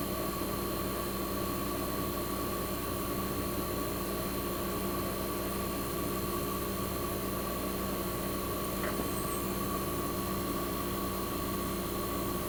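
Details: 1965 Fedders Weather Wheel air conditioner warming up after cold start in a cold shop, condenser fan cut off with only the evaporator fan running, as in a defrost cycle, to build head pressure: steady even hum, frost forming; compressor sounds fantastic, normal.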